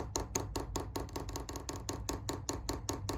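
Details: Chinese diesel heater in a Transit Jumbo camper, put into priming mode from the controller. The dosing pump gives crisp, even ticks about two or three a second while priming normally, pulling fuel through the line and filling the filter.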